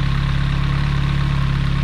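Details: 1989 BMW M3 with the original S14 engine, first start after replacing the valve cover, spark plug and rear head cover gaskets and sealing an intake vacuum fitting: low, even idle with a smooth steady pulse and no ticks, hunting or hiss; runs fine.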